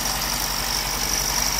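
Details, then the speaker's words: Honda Civic EK hatch project just started after extending injector harness: thin, steady high-pitched whine over a smooth idle, heard near the A/C; cause not yet pinned down. "there's a weird ac sound coming right there"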